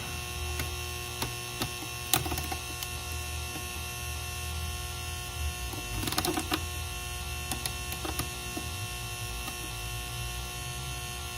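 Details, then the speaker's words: Rain Bird sprinkler controller connected to mains: steady low buzz with thin high ringing and occasional light clicks; display works but buttons unresponsive; suspected transformer hum, not confirmed. "the sound that it makes it sounds like the sound is coming out from the transformer and so that yeah it doesn't sound good"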